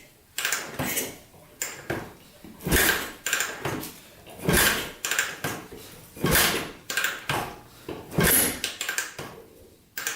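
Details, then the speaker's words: 1980 Yamaha XT 500 Enduro single, sat over 20 years, valves just adjusted to spec: sharp backfire pops with each kick about every two seconds, never catches; owner suspects clogged pipe, later possibly ignition timing. "Holy cow, backfiring a lot. I wonder if that pipe is clogged."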